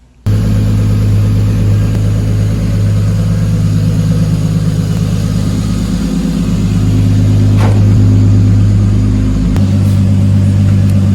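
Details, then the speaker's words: Lexus IS300 petrol engine idling smooth and even with a steady low hum after a misfire fix; the misfire came from a pinched coil wire, and the car had sat about two months with a dead battery. "guys we're at the end of the night um it's probably like eight nine o'clock we got the car running perfect"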